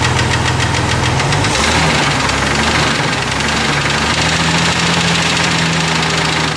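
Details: Jeep 4.0 petrol six idling with a loud, heavy, regular knock hammering through the whole engine note; it developed within about two weeks of sounding normal, and the engine blew up about 4 hours later.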